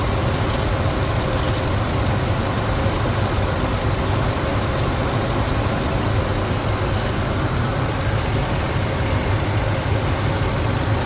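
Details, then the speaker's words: Ford 5.4L 2V V8 after rebuild with Cometic head gaskets, ARP head studs, Melling high-volume oil pump, new timing chain guides and tensioners, headers, premium fuel: smooth, rock-solid idle, steady low rumble, no knocks, ticks or misses, no leaks; normal idle. "so yeah you can hear it uh nice running engine everything is working just the way it's supposed to be"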